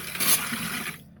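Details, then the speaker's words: RV de-winterization, refilling fresh water system and water heater: short hissing spit and splash from an inside faucet, then quiet, as trapped air blows out of the water lines. "And then also you want to turn on your faucets on the inside until you get the air blown out of those."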